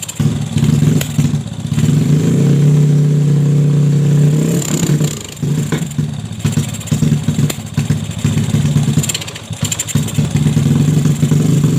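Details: Bored-up Yamaha Jupiter Z with new valves and piston and a newly fitted PE 26 (PWK) carb, still on unset, out-of-box tuning: revs climb then sag and stumble (brebet) as if fuel-starved; the carb is suspected lean.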